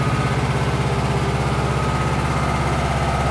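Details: Yamaha 5 kW recoil-start generator running. Steady, even thrum with a smooth low pulse, no knocks or misses; running normally.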